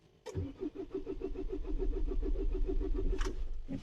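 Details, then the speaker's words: Renault Espace diesel after running out of fuel, refuelled and primer bulb pumped: even cranking at about three and a half beats a second without firing; crank no-start, air in the fuel system suspected to need purging. "On a essay on a essayé deux trois fois, la voiture démarre pas. Il y a des grandes chances qu'en fait il faille purger."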